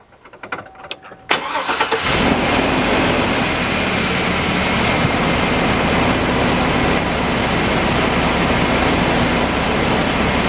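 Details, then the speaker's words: 2004 Chevrolet Express 3500 6.0 (Roadtrek 190), 100k miles, first start after replacing serpentine belts, idlers and tensioners: cranks briefly, catches cleanly, settles into an even idle with no squeal or chirp; normal start and idle. "all right so we'll fire it up and see if the belt holds on or not"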